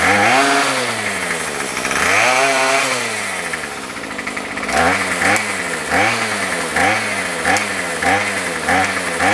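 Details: Remington pole saw two-stroke after a carb rebuild and fuel-line replacement, no head fitted and so no load: it revs up and drops back repeatedly, then blips in short bursts, picking up cleanly; it may be slightly rich; running normally.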